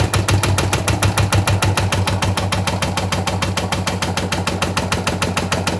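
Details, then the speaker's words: Washing machine running: hard, regular knocks about three per second inside the drum. The drum hits, most often because the internal shock absorbers are worn from frequent washing and heavy use. "Если вы слышите этот звук в своей стиральной машине, то первый, который представляет собой стук внутри, — это удары внутри самой стиральной машины. В большинстве случаев это износ амортизаторов, расположенных внутри стиральной машины и удерживающих барабан от ударов, то есть от частой стирки и интенсивного использовани"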